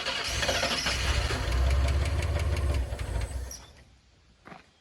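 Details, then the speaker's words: 1986 Ford F150 Bullnose with the 300 six, sitting long in a driveway: cranks, catches and settles into a low, even idle for a couple of seconds with a quiet exhaust, then shuts off; inline fuel filter to be added. "did you hear how quiet she was the exhaust ain't even loud"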